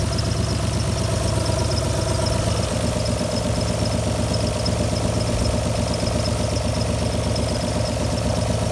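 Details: Alfa Romeo GTV V6 started after months parked: idle pulses unevenly, two to three lumps a second, loose stumbling rhythm; running rough, misfire suspected, unconfirmed.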